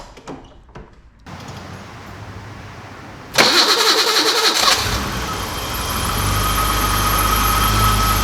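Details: BMW E28 M30 straight-six with crank-no-start, after new distributor cap and rotor (vacuum line temporarily taped): quiet ticking, short crank, then fires at once and settles into a steady, even idle.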